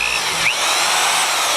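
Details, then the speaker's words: Hammer drill switched to regular drill mode: smooth, steady high-pitched motor whirr with no hammering or banging, unlike hammer mode's anvil rapping; normal drill-mode operation. "it just sounds like a drill but if you flip the little Hammer thing on you can hear the banging and it's got like a little Anvil thing in there"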